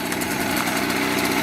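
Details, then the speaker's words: Mobylette X1 moped two-stroke engine, the owner's working bike with ignition timing checked at about 24–25 degrees before top dead centre; even, crisp two-stroke buzz with no misses or knocks, running nicely, normal running. "24, 25 degrees before top dead center. And this little bike runs very nicely."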